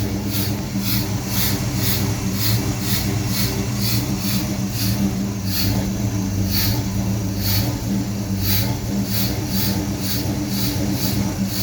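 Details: Holley Sniper EFI with HEI: idle surges unevenly with a hissy puff about every half second over a lumpy low drone; rough idle and no power began after tightening a loose O2 sensor, cause unknown despite vacuum-leak and ground checks.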